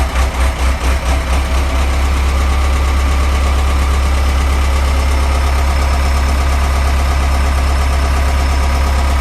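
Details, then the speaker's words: Ford 6610 tractor diesel, cold: hunts with an uneven lope for a couple of seconds, then settles to a steady low idle; owner suspects pump timing, says it smooths at about 1100 rpm and runs smooth warm. "I'll start it up. It does lope. I do need to adjust the timing a little bit on the pump, on the cover."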